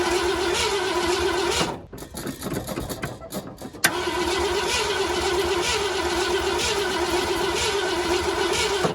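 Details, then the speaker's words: 1969 Ford F-100, sat for years, formerly locked-up motor, cranks on a weak battery after reassembly. Steady wavering starter whir, brief stumbling pause, more cranking with no catch. Crank, no start, cause unconfirmed. "That's when I hear it crank through. Battery's a piece of crap, but you know, it's fine. Seems good enough."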